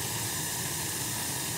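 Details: Gas boiler after its leaking gas valve was replaced and the valve set to about 3.5: a steady, soft rushing hiss with no popping, rumble or flutter; the burner is lit and firing evenly. The pilot flame is noted as too high.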